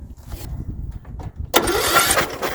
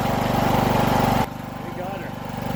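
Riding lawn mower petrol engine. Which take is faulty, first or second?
first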